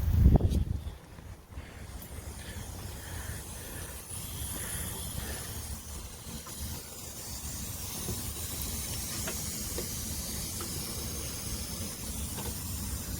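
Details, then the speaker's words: MCI coach, engine off after the air system was built up: a soft, continuous hiss over a low rumble from compressed-air leaks, one high up and one near the drive axle, with a valve leaking slightly. "und out it's got ear and shut off and hear an air leak coming from up here somewhere I've got another one coming from the driveaxle somewhere"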